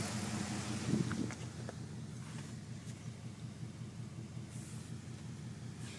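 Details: 5.7 Hemi V8 at a low, throbbing idle with an uneven, lumpy pulse in the rumble instead of a smooth beat; rough idle, cause suspected, not confirmed.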